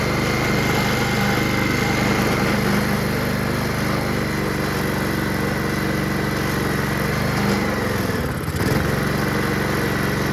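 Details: Honda HRR216 Harmony II QuadraCut push mower, no blade fitted, after starting spray: smooth, steady idle hum at an even pace with no stumbling; engine runs cleanly, normal idle.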